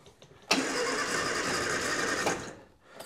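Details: Austin Allegro, choke out, on a weak jump pack: about two seconds of cranking with no firing, then stops; won't start, jump leads from another vehicle planned, cause unconfirmed.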